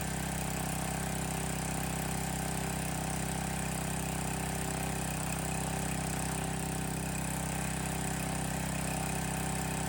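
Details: Landworks 20-ton log splitter's small engine, new, first start, choke lever loose: steady even low drone with a smooth regular beat, quieter than expected, no knocks or misses; normal idle.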